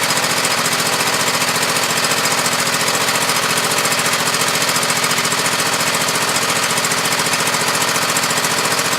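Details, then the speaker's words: Husqvarna YTH2448 mower, 24 hp Briggs V-twin, 195 hours: steady, hard thumping about three and a half beats a second, barely changing when one plug is grounded; that cylinder dead or weak, compression test planned. "help work much better when you're holding the rubber that as you can hear not much difference there's a hair different but the silliman is obviously very dead or low"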